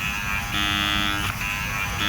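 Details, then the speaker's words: Car door window motor, door panel off, key on: a steady high electric whir running free while its gear does not turn and the window does not move. Motor appears detached from the regulator; a right-side window motor is needed. "the window motor the gear in the window motor is not turning [Music] wow you can hear running but nothing's turning"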